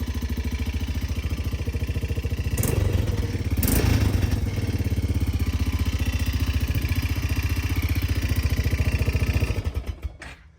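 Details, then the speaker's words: 2000 Arctic Cat 250 ATV, recently serviced (carb, air filter, oil): single-cylinder idle with a loose, uneven rattle over the steady thump; owner suspects valves need adjusting or something loose inside, not confirmed. "So I don't know if you guys can hear that, but it kind of sounds like there's a rattle in there."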